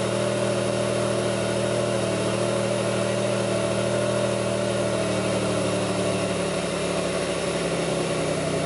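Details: 2002 Pontiac Grand Prix 3800 V6 at idle, no check-engine light, alternator overheating; faint intermittent thumping pulls the idle down. Idle hum with a slightly uneven, wavering beat and a dip toward the end: rough idle, cause not identified.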